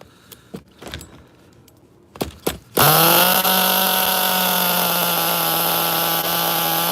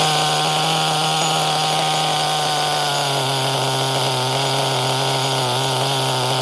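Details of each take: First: HPI Nitro MT 18SS RC truck nitro engine, refired after tightening a loose glow plug and raising throttle trim idle: after handling knocks it fires and settles into a steady high-pitched even buzz; running properly. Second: HPI Nitro MT 18SS RC truck nitro engine on refire: steady high buzz sagging and burbling as it settles; mixture running rich, idle dropping low and can't be raised without the 1.5 mm idle set screw, which isn't on hand.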